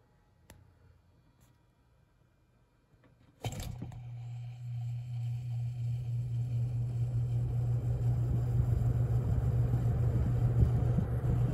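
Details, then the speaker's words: Holmes HABF-20 box fan (Feb 1997), seller's note said "hums". Startup on low: a click, then a steady low hum swelling gently as the blades spin up. Normal running. "Oh well, here is low."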